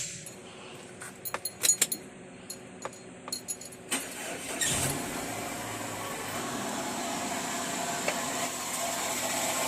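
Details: Perodua Alza with AC not cooling, noise and a burning smell when the AC is switched on; a steady, rough whirring rises from the engine bay as the compressor engages, from a worn AC compressor bearing.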